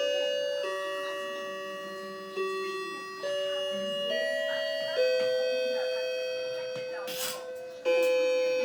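Clear, ringing bell notes strike one after another and decay slowly, an even clean chime from a clock striking as it should.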